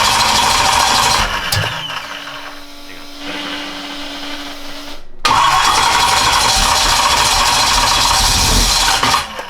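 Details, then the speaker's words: F150 prerunner at first run after a fuel pressure regulator was connected, throttle cable not yet hooked up: engine catches, sags into a thin, uneven idle, cuts out, then roars back; owner suspects low fuel and air in the lines. "I don't think there's enough gas in there dude cuz look listen to that you see you hear that sounds like there's a lot of air in there"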